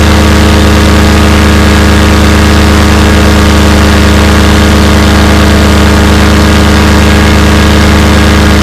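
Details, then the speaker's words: Fresh Breeze Monster paramotor two-stroke, back from repairs, full-thrust run against a house wall: loud, steady high-rev drone at even pitch with no misses or burbles, a little bang at the end; normal full-throttle run. "Wow, other than that little bang at the end there, that sounded amazing, did it not? It ran high at high RPM, seemed to be steady. There wasn't any kind of burbles or missing."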